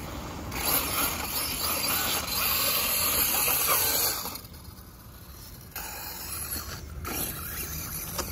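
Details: Redcat Volcano EPX RC truck with Hobbystar 3650 3500KV brushless motor on 3S: harsh, rapid ratcheting clatter under part throttle over a hissing motor, then easing; snapped dogbone letting drive slip.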